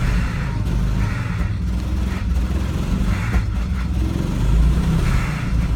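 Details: Volvo V70 XC engine with low, heavy rumble and uneven, lumpy firing with occasional stumbles; engine misfire.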